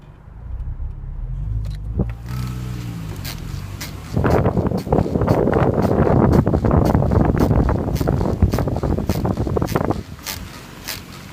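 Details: Mini Cooper S JCW R53 driving: loud rough rhythmic flapping-knocking about three beats a second from front passenger corner, persisting after wheel bearing replacement; cause unknown.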